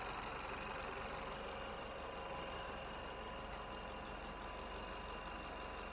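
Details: 2020 Chevy Malibu 1.5 turbo, after vacuum pump replacement and oil and coolant refill, cooling system not yet bled: steady, even idle with a smooth hum, no knocks, misses or surges; engine running fine.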